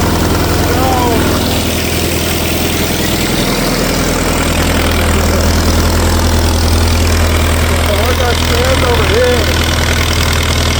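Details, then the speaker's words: 1964 LeRoi 125G1 trailer air compressor, straight-piped, output wide open so it runs unloaded: loud, steady open-pipe bark with an even firing beat and no misses; runs normally. "So, we're going to try and run it with the output wide open so it can blow that air so it doesn't build up too high. It's going to be loud cuz we're going to have the straight pipe and we're going to have the [laughter] airflow."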